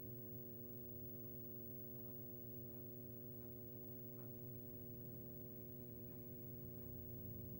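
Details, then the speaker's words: Arcade machine (Arkanoid) fluorescent light: low, steady mains hum with a faint buzzy edge from a humming ballast, which explains the missing bulb; ballast to be replaced. "hear that buzzing sound that humming [Music] sound ballast is humming that's why they didn't have a bulb in there"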